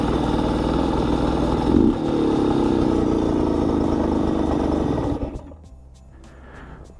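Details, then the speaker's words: Bultaco Alpina 350 two-stroke on test ride, rough uneven knocking over exhaust note; low-grade spark plug suspected, owner fears bearings, gearbox seems fine; engine knocking. "yeah it doesn't sound uh it's knocking a bit which i don't like oh it really is knocking isn't it"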